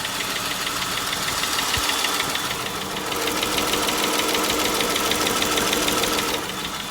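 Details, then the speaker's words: 2011 Dodge Charger 3.6 V6 at idle: steady quick ticking about three per second, likely a stuck or oil-starved lifter from bad oil and overdue oil changes. "So that sounds like a lifter's in there. Lifter's like really stuck or not lubricated due to bad oil, not keeping up with the oil change on time, but I'm gonna be honest with you."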